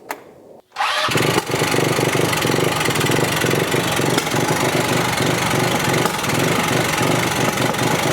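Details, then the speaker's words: Polaris RZR 170 (169cc four-stroke) carbureted engine catches after a short crank, warming up, and settles into a fast, busy idle that stays high; the idle needs turning down to around 1700 rpm. "so it's pretty obvious to me that the idol is running real high and therefore it looks like the little tachometer is much more accurate and the phone app is way off"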